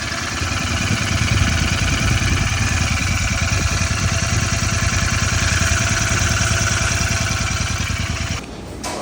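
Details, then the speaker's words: 2024 Royal Enfield Continental GT650 twin at idle after first service: brisk, even ticking about three per second from the head; head opened, valve tappets found loose. "ਇਹਨੂੰ ਲੋ ਵੀ ਟੈਪਟਾਂ ਢਿੱਲੀਆਂ ਆਈਆਂ ਆਪਣੇ motorcycle ਦੀਆਂ right ਡਰ ਦੀਆਂ"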